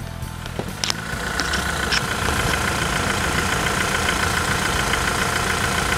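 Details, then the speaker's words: 2017 Toyota SW4 2.8 1GD diesel after engine replacement, at slow idle: even, steady diesel clatter with no knocks or misses; engine idling healthy. "Reloginho, né? Tá um reloginho, rapaz."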